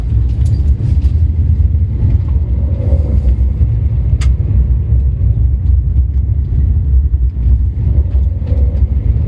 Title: Strange noise when revs drop below 2k